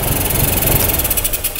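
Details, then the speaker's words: 2021 Honda SH 125 FI scooter after a service, idling: very loud, uneven, jerky lumpy chuffing like a tractor; rough idle from an intake air leak. "nổ của nó rất chi là to Và đồng thời là cái tiếng nổ của nó kiểu giật cục giật cục giật cục lên đấy"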